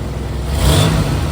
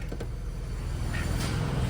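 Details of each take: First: 2000 Chevrolet Camaro with a remanufactured AC compressor, quick rev: loose metallic rattle over the engine note while the compressor clutch is disengaged, gone when the AC is on and the clutch engages. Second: 2000 Chevrolet Camaro with a remanufactured AC compressor: steady low engine rumble with no rattle once the compressor clutch engages; the compressor rattles only when the clutch is disengaged, and no leaks were found at the ports.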